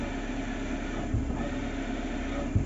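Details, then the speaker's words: Maruti Suzuki Eeco idling, clutch pedal lightly pressed: steady whirring hum from the gearbox/bellhousing, no noise with pedal released; worn clutch release bearing, needs replacement. "हल्का सा clutch दबा रहा हूं फिर भी कितना सारा नॉज कर रहा है"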